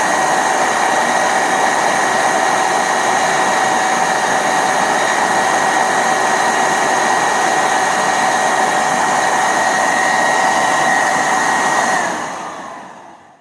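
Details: Hoover SteamVac Widepath carpet cleaner, about 20 years old, after repairing scrub brushes that had stopped spinning with a snap: smooth, even motor whine, steady tone, no grinding or clatter, clean spin-down at switch-off; brush drive now healthy.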